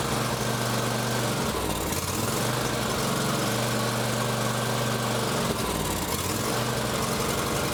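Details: John Deere X350 riding mower, sat for years, running on full choke: labouring idle that sags and recovers every few seconds. Needs choke to keep going and is acting restricted.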